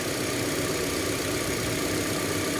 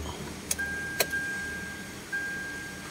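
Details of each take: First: Hyundai Elantra petrol engine idling with an uneven, lumpy beat and shaking; misfire persists after new spark plugs and ignition coil, check engine light on; caused by faulty crankshaft position sensor (CKP), hard starting. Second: Hyundai Elantra (also applies to Accent, Picanto, Soul) after replacing the crankshaft position sensor (CKP, P0035) and clearing the code; previously hard start and misfire. Short crank catches almost at once, then settles quietly; clean one-click start.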